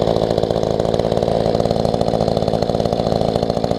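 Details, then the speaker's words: Mantis tiller small two-stroke after carb low/high adjustment: holds steady idle with quick, even popping, no stalling or surging; previously would not idle. "Got it idling. Wasn't doing that before."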